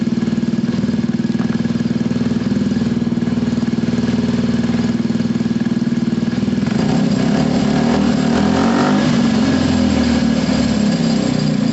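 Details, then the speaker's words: Gilera DNA 125, warming up with automatic choke possibly still on: small single ticks over evenly at steady idle, no misses; normal idle. "You can hear it, guys, it's absolutely spot on. There's no issues at all with that running. I can adjust the idle, that's not an issue there."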